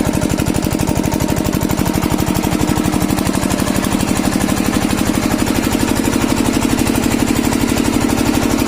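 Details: Kirloskar single-cylinder diesel engine, after diesel filter replacement to cure a starting problem: steady, evenly spaced thumps at constant speed with no stumbles or knocks, running cleanly.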